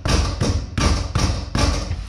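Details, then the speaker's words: Dodge Dakota R/T project truck, front bumper struck by hand: dull thumps about every half second, each followed by a short loose rattle; bump noise first suspected as tie rod end or sway bar end link, found to be a loose inner bumper clip. "after hitting it with my fist for the last 10 minutes I found out that it's just a little clip that's on the inside of here we can't see that but it's literally just this and when you hit or vibrate anywhere use this loud bang"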